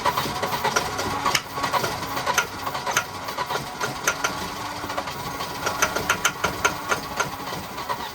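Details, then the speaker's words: Wrecked Volvo 240 B230 fed fuel directly through an intake port: uneven, stumbling firing with irregular pops and no steady idle; engine wants to run but is starved of fuel. "Yeah, it's just not getting enough. It would run. It's a good motor, I think."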